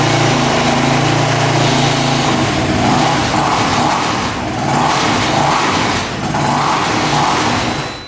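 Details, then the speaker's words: Honda machine on jumper cables, needing full choke and very hard to start: the engine surges unevenly, can't hold idle and fades out; rough running from valves closed up with no clearance. "all right yeah you can kind of hear it no how are you doing something a little rough um it definitely needs to choke out to even be close to starting so it's really really hard starting and um yeah it's not sounding the greatest"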